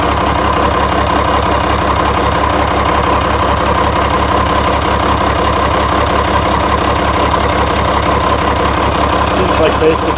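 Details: International DT360 diesel, intended for a swap into a 1973 Ford F250 crew cab, idling during a blowby check: even clatter about one beat per second, no misses or knocks; healthy, with practically no blowby.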